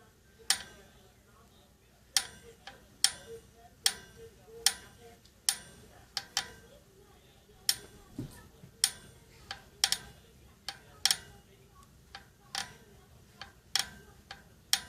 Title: Novatec D202SB Hub making noise. A big creak in the bearing and rough feel when you turn it.